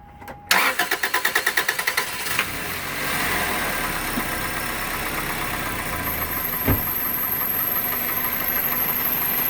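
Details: 2001 Toyota Corolla 1.8, after replacing cylinder 3 spark plug with a good one: starter cranks about a dozen quick turns, engine catches and settles to a steady even idle, no stumble or miss.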